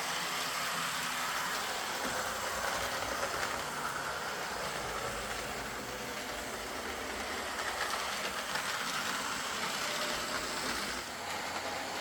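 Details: Old Lima Class 40 model locomotive in BR green, after repair with a completely replaced motorised chassis (original front bogie faulty, wouldn't run): light even whirr, steady pitch, soft track rumble, no catches or surges; quiet, normal smooth running.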